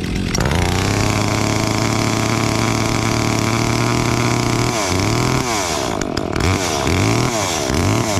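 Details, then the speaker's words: Brand-new Stihl MS 362 chainsaw, started before a job: even, buzzy two-stroke idle holding steady for several seconds, then a few short throttle blips; idles cleanly. "brand new steel 362. fire it up and let her idle before the job"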